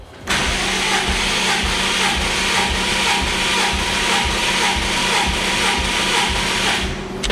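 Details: 2005 Subaru WRX STI, cranked with plugs out and throttle floored for a compression test (cylinder 1 about 112 PSI); steady starter whir, even low pulses, no drag: normal cranking.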